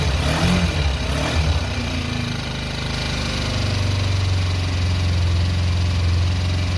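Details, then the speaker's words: Kawasaki ER5 after exhaust swap, rechecked after an earlier leak on a previous run; steady, even low rumble at idle with no ticking or puffing from the pipes. Exhaust now fully sealed. Normal idle, no exhaust leak. "excellent that's fully sealed"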